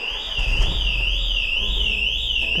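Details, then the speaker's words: Smart fortwo Brabus 453 with Pandora Smart Pro V3 alarm: engine cut by digital immobilizer after unauthorized key start; loud wailing siren sweeping about twice a second over faint rumble, runs 30 seconds and restarts while alarm active. "hier ist der Anruf hört ihr das 30 Sekunden die Sirene muss ausgehen die geht jetzt wieder an wenn das Alarmsystem klar wieder geht wieder los"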